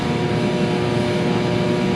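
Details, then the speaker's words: Free diesel torpedo shop heater running in a 12,000 sq ft warehouse, heat felt 30-40 ft away at the bench: loud steady roar, no surging, popping or sputtering, no smell, burning clean; normal running. "And really standing here with it running, I don't smell anything. It's burning pretty clean."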